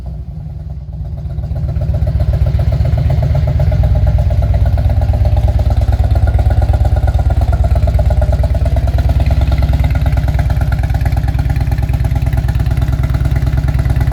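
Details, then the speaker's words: 2000 Harley-Davidson Road King with aftermarket exhaust and no programmer, after replacing old plugs with fresh NGK iridium plugs: even, low potato-potato idle about three beats a second, smooth with no stumbles; misfire cured, though the bike smells rich. "oh man that sounds a lot better than it did"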